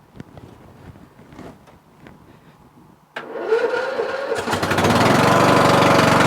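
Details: Murray Select 14.5HP 42" widebody lawn tractor with a weak battery (charged overnight) and high compression, hard to start: quiet, then a short dragging crank for about a second before the engine catches and runs up.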